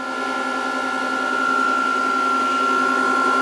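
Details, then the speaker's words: VFD having capacitors reformed, fed 140 V through a series lamp, under-voltage and flashing stop: smooth constant high whir from the drive's small cooling fan, no rattle or scraping; normal. "But anyways, under voltage and it's flashing stop and da da da. But you can hear the fan and you can hear everything."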